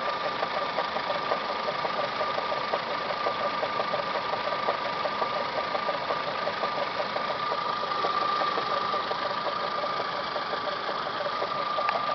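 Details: Toyota Camry 5S-FE four-cylinder at idle, full timing belt job done Feb 2011, noise began a few days ago: constant high whine and faint uneven ticking from the timing belt/water pump area at the engine front; cause unknown.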